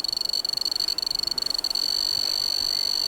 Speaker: it makes a little ticking noise that increases as you get closer and you can see the RSSI scales